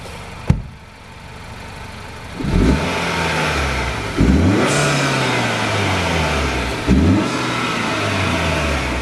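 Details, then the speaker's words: 2021 Acura RDX A-Spec after installing an HPS intake: three quick throttle blips, each a deep rising roar falling back to idle with an airy hiss of intake suction; normal intake sound when revving. "Kev's gonna give us a little demonstration of the suction noises now since the battery died earlier."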